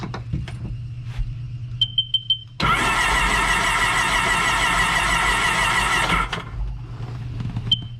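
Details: A few clicks, then about three and a half seconds of quick, even cranking with no binding; the engine turns over freely. This 2006 supercharged Sea-Doo Sportster had sat about two years and was cranked in drown mode after an hour-long soak, before the spark plugs went in.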